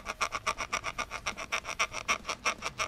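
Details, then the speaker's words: Skateboard trucks squeaking loudly as the board is rocked, worse with the rider standing on it: sharp high creaks about four per second from dry bushings (pivot cup or bushing). "para ouvir aí que tá bem forte e quando eu soube em cima então piora a situação"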